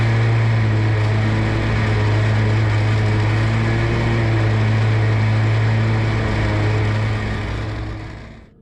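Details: Scag mower surging badly under load while cutting, a steady drone that wavers, rising and falling in speed; cause unknown despite new fuel straw, clutch and electrical parts already replaced.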